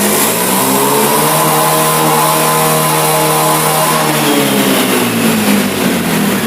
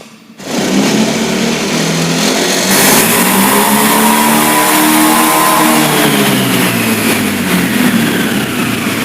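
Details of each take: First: Honda Beat fuel-injected scooter: revs climb with a rising buzz that wavers and sags at high rpm, as if running out of fuel, caused by a faulty throttle position sensor reading wrong degrees. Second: Fuel-injected Honda Beat after replacing the faulty throttle position sensor that caused stumbling at high rpm: engine picks up cleanly from idle, pitch rising and falling smoothly with no stumble; revs normal.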